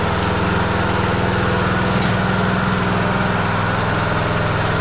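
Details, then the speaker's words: Troy-Bilt Bronco 42-inch riding mower after a blade belt replacement, single-cylinder engine at fast idle: coarse, raspy exhaust louder than stock; mechanic suspects a hole forming in the muffler, unconfirmed. "I think he's getting a hole in this muffler. That sounds funny."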